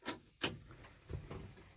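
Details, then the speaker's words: 1988 International 1654 wrecker, 7.3 IDI diesel, newly installed Facet electric lift pump fixing air-intrusion stalling: key on, engine off, a few crisp ticks as pump primes fuel normally before glow plugs and crank. "you hear that ticking that's it so let's let the glow plug light go and then we'll give it a crank"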